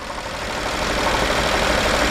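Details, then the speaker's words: BMW 750Li N63 V8 with cylinder 7 misfire, idling, oil filler cap open: rough rushing hiss and uneven puffing of pressure from the filler; heavy blow-by, suspected major cylinder compression leak to crankcase, not confirmed. "that makes me team than just the engine has a problem because it could be a major compressional league major pressure cylinder pressure leak he goes to the crankcase and that's the reason why you do you see this"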